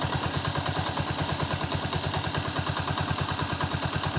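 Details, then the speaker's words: Honda TMX 125 single-cylinder engine warmed up at idle, with valve clearance just adjusted to the standard 0.08 mm: an even, steady beat with a light, quick tick, which is a normal valve tick. "0.08 Okay lang siya Normal lang siya sa t kasi yun yung standard niya"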